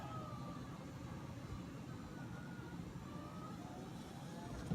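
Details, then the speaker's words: 2005 Honda Civic Hybrid driver's power window rising on one-press auto: quiet, thin whine climbing slightly, no grinding or binding. Slow but working normally after fixing a foam block that blocked its travel. "let back up okay and that's the fastest thing in the world but at least doing what it should be doing now so one press Auto good"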